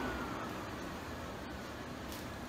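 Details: Dual electric radiator cooling fans, wired through relays, running in series on low speed (half power, triggered at 180°): a steady, even rushing whoosh with no ticking, rubbing or wobble.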